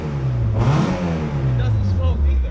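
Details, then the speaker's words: $100 Mazda Miata being revived after sitting as a non-runner: low, even engine note, smooth steady run with a brief blip, no lifter tick, knocks or misses; runs healthy. "thanks dude it doesn't sound bad"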